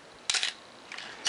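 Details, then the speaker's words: Canon AE1 Program 35mm SLR with 50mm FD f/1.8 lens, lens off, held on bulb: crisp mirror flip and shutter opening, about a second's pause, then one clean closing snap; mirror and shutter cycle normally. "There we can see the mirror is flipped up properly, the shutter is out of the way, and everything closes well."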